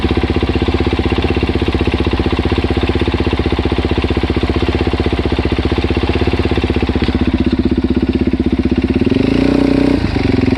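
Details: DRZ400S single-cylinder engine at idle after the cam chain and cam chain guides were replaced: a light, fast tick rides on the thump, steady with engine speed; the source is unclear.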